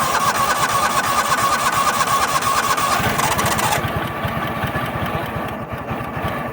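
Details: Toro Wheel Horse 266-H mower, 26 hp Kohler V-twin with new fuel filter, pump and apparently new carburetor, primed: sluggish, uneven cranking about three turns a second, never catches; slow cranking, starter suspected.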